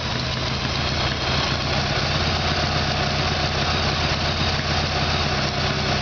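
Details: Harley-Davidson Evolution Sportster, rear cylinder was not firing: V-twin idle with loose, uneven lope and stumbling beats instead of clean rhythm; carburetor fault upsetting mixture, before new iridium plugs and timing.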